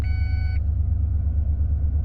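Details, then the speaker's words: 1996 Ford F150 4x4 302 at idle after accident repair, airbags possibly not reconnected: clear electronic beep over deep steady idle, repeating four times about every minute after ABS light went off; not door or key alarm, cause unknown. "Now, the ABS light was on, but now it's off, and now I'm getting this beeping noise constantly. It does it 4 times, it goes off for a minute, and then starts back up. Anybody know what that is?"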